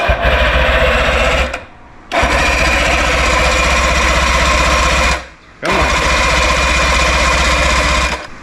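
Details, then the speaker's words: 1958 Johnson Super Seahorse V4 outboard, first start attempt after 5+ years sitting, choke held on: two long bursts of quick steady cranking, about four beats a second, never catching; cranks but won't start, cause unconfirmed. "I expected more. This thing hasn't been running probably 4 or 5 years."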